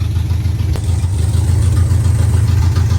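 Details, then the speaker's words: 1986 Camaro with Edelbrock Performer intake, Edelbrock 650 carb and long-tube open headers, just started after sitting a while and hard to start: deep, loud, uneven lumpy idle that won't settle; running rough. "but like I was saying uh it's not exactly running how it should you can hear it doesn't sound the [Music] greatest"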